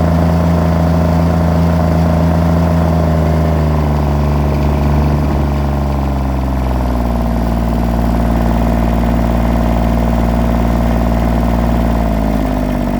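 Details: John Deere 332 at 64°F after running over an hour earlier; steady low drone with uneven, stumbling beat that settles somewhat; misfires badly cold with smoke, mostly OK at full load and improves as it warms; misfire, cause unknown.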